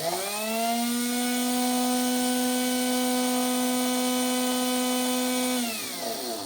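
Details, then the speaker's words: Old Makita 8400D 9.6V cordless hammer drill, motor run, drawing 1.82 amps and rising under load: clean steady hum, smooth wind-down; motor healthy, fault is corroded push-switch contacts, not the NiCd battery. "Drawing 1.82 amps there. Oh, that goes even higher when it starts to something. Right, well that's good. Motors works. That is a lovely big motor."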